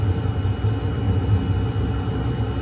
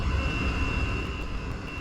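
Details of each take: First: Chinese diesel heater (waste-oil experiments, inlet partly taped) restarted after possible carbon build-up, holding a stable 208: steady low roar with even flame rumble, no popping or surging; burner running normally. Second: Chinese diesel heater with air inlet restricted by tape, temperature just reaching about 200: low, wavering burner rumble under a thin steady whistle, weak and choked; little heating air from the vent, sounds close to flame-out, cause unconfirmed.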